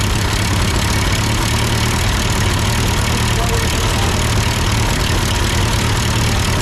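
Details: Ford 8N tractor idling after an amateur adjustment of the carburetor: low, steady idle with even pulse and no stumbles or misses; sounds good, normal idle.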